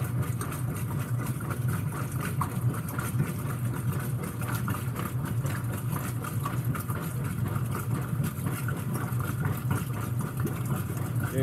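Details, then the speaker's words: Whirlpool WTW5300SQ0 top-load washer after a new timer was installed, on quick wash: quiet, steady low churning hum with no grinding, squeal or clunks; normal agitation, timer working. "but this is quick wash right here it's pretty dang quiet"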